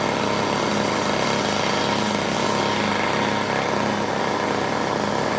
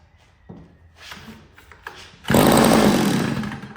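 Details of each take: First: $5 yard sale two-stroke curb edger, mock-up gas tank feeding the carburetor: high buzzy note holding steady speed on half choke without dying or surging; running healthy. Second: $5 yard sale two-stroke curb edger with mock-up gas tank feeding the carburetor, on choke: catches after a couple of pulls, buzzes briefly, then fades out; likely over-choked, then switched to half choke.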